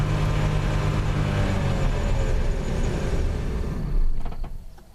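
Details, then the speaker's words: 1987 Plymouth Gran Fury, 98,000 miles, mostly original, drivability problem, earlier suspected carb: rough uneven run at steady raised throttle, then sags and dies within seconds; owner concludes it is running out of fuel. "now I didn't do anything I just kept my foot directly on the gas right there and it just shut right off"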